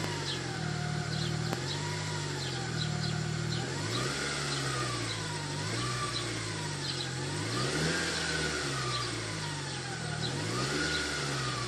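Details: Dodge Caliber SRT4 on the first startup of the day, idling and revving: clear whine that rises and falls with engine speed.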